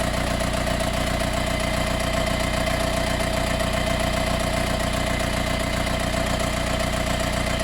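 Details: Mercedes B180 CDI W245 diesel, warm restart 15–45 minutes after a 15-minute drive: runs smooth, then after ~30 seconds a fast, even rattle starts over the idle, like an extra engine or fan turning on; fades after 1–2 minutes of driving.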